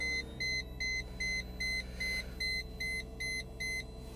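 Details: Mercedes SLK 320 with an aftermarket unit, at start-up: steady high-pitched beeps about two and a half per second over a quiet cabin, the ABS fault warning chime.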